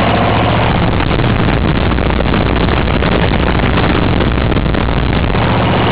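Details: 1954 reel mower with a restored B&S 6S 1.6 hp engine with new exhaust, alongside a 1984 Montgomery Ward B&S 3.5 hp TMO-37425A with a fallen stack, so rear exhaust. Steady, even single-cylinder putter at constant speed, no misses or knocks: normal running.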